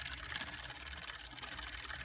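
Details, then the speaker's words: Older Specialized Vita triple-crankset bike with a worn, completely dry chain: fast, dry chirping and ticking while the pedals turn, light and high-pitched; the squeak comes from a worn upper guide pulley bearing on the rear derailleur. "hear that squeaking? Well, that squeaking is this upper pulley, which is called a guide pulley."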